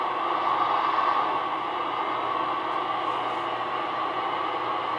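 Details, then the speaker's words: Realistic DX-160 receiver on the bench, antenna trimmer just adjusted, antenna only two clip leads: mostly hiss and static with a faint signal buried underneath; weak noisy reception blamed on the makeshift clip-lead antenna, not confirmed. "there's something there but it's just not coming in good but again that's just two clip leads so we don't expect a lot out of that"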